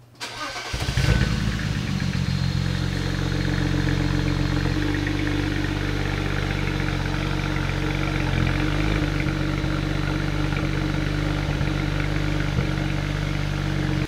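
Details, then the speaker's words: BMW 335i N54 engine start: starter cranks, engine catches into a slightly uneven idle with small dips; stumbles on cold start or warm after short trips, suspected leaking injectors draining rail pressure; coils and plugs already replaced. "he's got kind of a rough start so when he gets the car started like cold start or even just like between short trips if the car is warm it'll start to stumble on idle"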